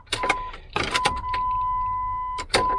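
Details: Key-on in a Jeep WJ after fixing a busted O-ring on the fuel pump assembly (before, it lost pressure and needed several cranks): a steady high whine for about a second, then stops; the fuel pump primes normally and now holds pressure.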